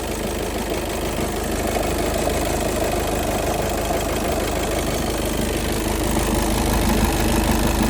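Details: VW Golf 7 2.0-litre automatic at idle: low rumble with an uneven rattling beat near three per second, no clean tone; irregular idle noise, flywheel suspected but unproven.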